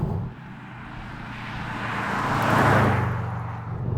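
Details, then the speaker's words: Subaru flat-four, heard passing by: rumble swells on approach and fades away, low uneven burble; normal iconic boxer sound. "and let's be real here shall we that noise is Iconic you mentioned Subaru and that is what people think of"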